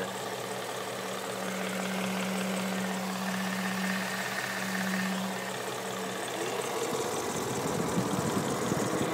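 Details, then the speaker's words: 2011 Ford Mustang GT V8 idles smoothly with a faint, fairly regular tick of about three a second over the hum; the owner likens it to an earlier belt noise. "It's like the belt noise I was talking about. Kind of hear the ticking"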